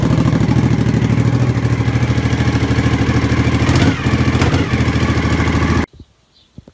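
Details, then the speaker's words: 1997 Suzuki TL1000S V-twin with new fuel pump and solenoid, damaged muffler: loud lumpy idle, throttle blip barely picks up before dropping and stalling; won't rev, owner suspects injectors. "I can't actually get it to rev up properly I think it might have a problem with the injectors or something like that"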